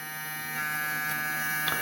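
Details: Cooler motor converted into a 12 V-to-220 V generator, lighting LEDs. A steady electric hum with a faint buzz and even tone throughout, no knocks: normal running.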